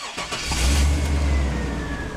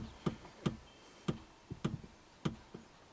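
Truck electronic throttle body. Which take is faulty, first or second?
second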